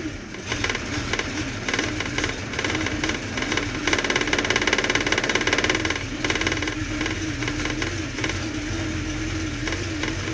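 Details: 1966 Ford Mustang V8 just after start-up: uneven, lumpy idle with a stumbling, irregular beat and rising and falling revs; rough idle, cause not stated.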